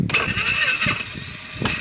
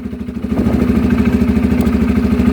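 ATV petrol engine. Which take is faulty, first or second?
first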